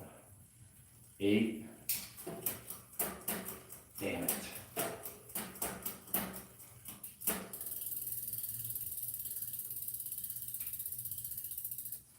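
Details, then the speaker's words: 2022 Marin Rift Zone mountain bike after new cassette and derailleur fitted, shifting down from 11th gear; bursts of irregular clicking and ratcheting during shifts, then steady freewheel buzz; chain skipping during shifts, cause of poor tuning unknown. "That sounded like crap, though. I don't think we're going to get it. I have no clue what the hell is wrong with this bike and why I can't tune it in."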